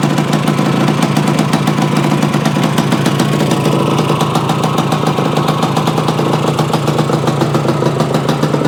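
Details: Yamaha AT-1 to CT-1 conversion small single two-stroke after carburetor fix and oil pump priming, choke on, premix plus oil pump: crisp, quick, even popping at idle with no stumbles or misfires; normal idle.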